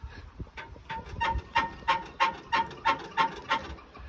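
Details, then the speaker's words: Impala lowrider with hydraulics, first drive at low speed: sharp, high-pitched, very regular squeaks about three a second; suspension squeak, owner suspects hydraulic cylinder mounts lacking pipe sleeves. "As soon as I unloaded it, started driving it, I realized something. It squeaks like no other."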